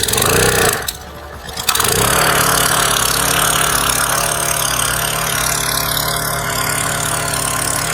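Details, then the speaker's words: Generac 3100 PSI electric-start gas pressure washer, new, water flowing, woken by holding the button 3 seconds then electric start: short crank, engine catches at once and settles to a steady even drone, no misses or knocks; normal start and idle. "So basically, it says here that we want to hold down the button for 3 seconds to wake it up. Seems like that's 3 seconds."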